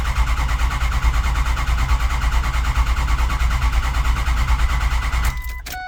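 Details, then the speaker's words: Ford 6.0 Powerstroke diesel truck, crank-no-start; gauges showed no high-pressure oil, and the owner suspects the recently replaced high-pressure oil pump. Steady, slow, even cranking for several seconds with no firing: cranks but won't start. "trying again might be the high press oil pump again but that just got done so that would be covered under warranty"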